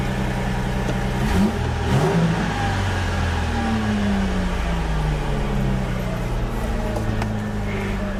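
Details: 2004 Ford Mustang that sat in the desert for years, after the fuel tank parts were refitted: the engine picks up and settles to a smooth, even note, revs rise cleanly with no misses or knocks, and it runs well.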